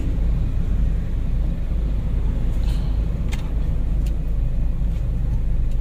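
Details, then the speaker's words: Honda Freed driven over speed bumps after front shock absorber service, with worn, sagging strut mounts not yet replaced: steady low road rumble with no knock, clunk or rattle. Front suspension is healthy; new mounts would make it quieter. "Nggak masalah tetap enak tapi lebih baiknya lebih senyap lagi kalau support shocknya diganti"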